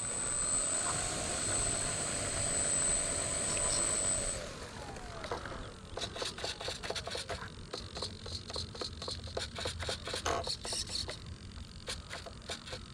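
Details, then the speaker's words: RC Cessna 182 electric plane after replacing a bad ESC that had left it without power to take off: steady high electric whine holding even at full power, fading as it climbs away; motor healthy. "so replace the ESC in the sound that sounds much help it got the power now it's got power down here to the South"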